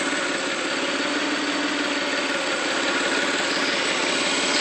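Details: '95 GT petrol engine at idle: uneven, lumpy idle with an irregular pulse about three beats a second, like a miss; it also stumbles on throttle and accelerates slowly, cause not pinned down.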